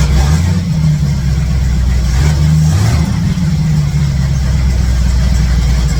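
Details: 1967 C10 truck V8 with ball-seat headers, after exhaust leak work and refitting plug wires; deep even rumble picking up cleanly on blips, all eight cylinders firing, no ticking or puffing at headers: normal idle and rev.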